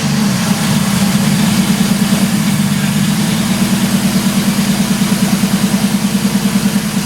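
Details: 1983 Ford Fairmont Futura with a swapped Vortec 4200 DOHC VVT inline-six, first start after the build: engine catches and settles into a smooth, even idle with a steady low pulse, no knocks or misses.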